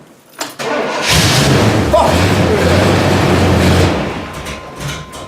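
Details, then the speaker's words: Cold weather start using a jump-starter pack on a completely dead battery in a vehicle with a manual fuel pump: quick, strong cranking for about three seconds, then it fires and settles into a smooth idle. "It's cold as shit, but that was almost like a fresh battery. Sounds like it's gonna idle."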